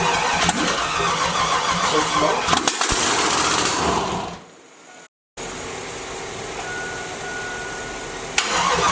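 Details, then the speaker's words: Truck's first start attempt after installing new spark plugs and plug wires: starter spins the engine steadily about four seconds but it never catches; crank, no start, cause not yet found. "uh it's just another hiccup on the road so i guess the truck will be in the garage a little longer until i figure out what the hell is going on with this thing"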